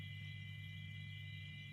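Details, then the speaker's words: Homebuilt (rakitan) amplifier with volume turned up and level opened slightly, no music; faint steady low hum with thin high tone, judged acceptable after ground wiring fixed and potentiometer body grounded to input ground — normal residual hum. "ada suara dengung seperti ini ya, menurut saya ini tidak apa-apa, tidak masalah ya."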